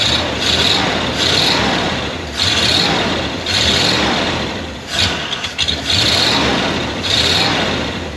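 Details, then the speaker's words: 1979 Ford barn-find truck, carbureted, just revived: engine surges and sags, bogging and going flat when throttle is given, so you must lift off and reapply the throttle. "you have to learn that if you go to give it throttle and bogs like that doesn't do anything you got light off and give it to the throttle again"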